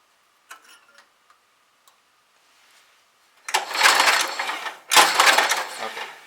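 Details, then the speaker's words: Roto-Hoe 800H chipper/shredder cranking during a spark check after brake cleaner was sprayed in: sharp, crisp crackling snaps come in quick bursts. It was heard before it could be seen, with a possible weak ground, but it is now confirmed as good ignition spark. "I can see it now good spark"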